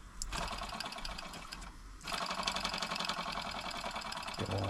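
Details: Mamod TE1a live steam tractor on its first steam-up after new seals. Quick, light chuffing at about four beats a second that picks up after a brief pause and stays even. Running normally.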